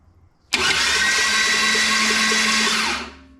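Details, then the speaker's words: Rebuilt junkyard turbocharged Holden 253 engine for an HQ, starter wired up for first turnover: about 2.5 s of high, even starter whine cranking the engine freely, no grinding or hesitation. Normal starter cranking. "Okay, starter motor works, and the engine cranks over and nothing fell off yet."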